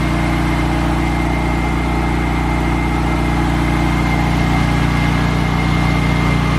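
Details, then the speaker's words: 1990 Saab 900S idling after installing junkyard fuel injectors; had lack of power and hard starting. Old injectors clattered loudly and water pump screeched, now not really heard. Steady, even idle, smooth low thrum, no ticking or screech: normal idle. "So I've put in the new fuel injectors, and I've noticed that the engine is a lot quieter, as in the injectors, the old injectors were making a very loud clattering sound, and the water pump was making that horrible screeching sound. And now I don't really hear it."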